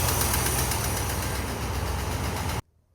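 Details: Old International Scout V8 idling after the pushrod repair: even, deep idle rumble with a steady beat and no obvious knock, running smoothly until the key is switched off.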